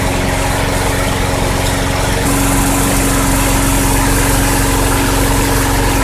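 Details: 2006 Craftsman 917.376160 push mower rescued from a junk pile, nearly dry tank, running after carb cleaner sprays: steady, even single-cylinder drone with no misses, knocks or surging; normal running.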